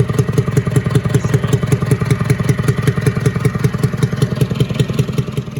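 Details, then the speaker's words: International B414 tractor diesel, just reassembled, freed up and running with the block getting warm: steady sharp pops two or three a second over a rough idle, spitting back through the intake; valves need readjusting. "Say I'm kind of sad to tear it apart because see how bad it pops out of the intake."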